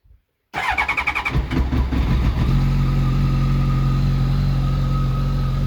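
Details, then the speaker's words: 2005 Honda CBR1100XX Super Blackbird motorcycle, stock mufflers: cranks, catches, blips up then settles to an even, very quiet idle with the faint steady whistle all Blackbirds should have. Healthy start-up and revving. "so she heard there sounds very quiet it's got the stock mufflers on it it's got a nice whistle to it which all honda blackbirds should have"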